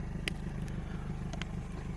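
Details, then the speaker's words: Car idling, heard from a distance: low putt-putt idle with uneven pulses about six or seven a second; rough idle, owner suspects an exhaust leak or worn spark plugs needing a tune-up. "i think i need a tune-up you can hear my car from here like putt-putt putting"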